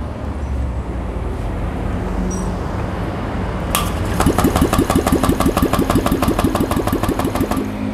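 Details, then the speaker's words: Honda Vario 125 scooter after camshaft replacement and full engine teardown, cover not yet fitted: starts and settles into a smooth, even idle with no knocking or rattling, unlike the noisy run before. "Oke teman-teman akhirnya mulus ya suaranya enggak berisik kayak waktu kemarin"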